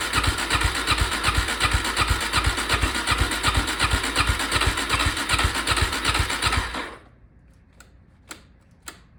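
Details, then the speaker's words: Suzuki DRZ400 dirt bike sitting about five years, cranked before starting fluid: starter spins at even rhythm near three beats a second for seven seconds, never fires, then stops with clicks; fuel believed reaching carb. "okay so nothing I think we're getting fuel at that point to the carb"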